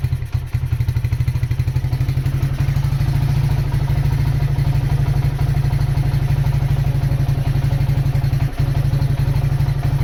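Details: Honda GL100 CDI before rebuild, low compression, erratic carburetor, smoking: rough, uneven clatter about four beats a second over a lumpy, unsteady idle; most audible noise is said to be the clutch, carburetor running erratically.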